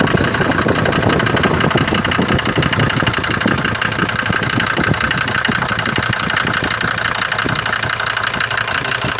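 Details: Mercedes diesel bought used with this noise, recorded cold in the morning: busy idle with loud rapid clatter throughout, louder than the normal clatter of these Mercedes diesels; cold knock, cause not pinned down, possibly injectors.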